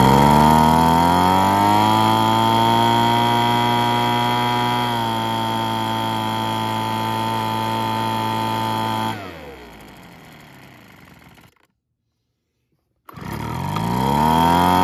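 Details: Weed Eater BV1650 blower vac after carburetor rebuild, new purge bulb, fuel filter and fuel line, on fresh 40:1 fuel; small two-stroke buzzes at steady high speed, drops back, cuts out and restarts cleanly, smooth and healthy.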